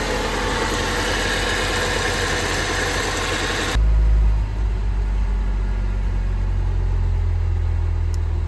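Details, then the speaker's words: Honda Civic first run after engine work: it fires and settles into a steady, even low idle with no knocks or misses, and no check engine light. A small coolant leak at the intake manifold fitting would drip onto the exhaust, so the run is kept short. "So, we are I'm calling it. I think that's a good decent first run. No check engine light."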